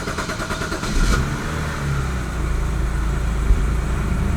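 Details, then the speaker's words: BMW N52 inline-six after swapping in a replacement fuel injector for the misfire, codes erased: engine catches and rises to a steady, even idle drone, no longer shaky; running smoothly. "okay seems like it's no longer shaky just a tad"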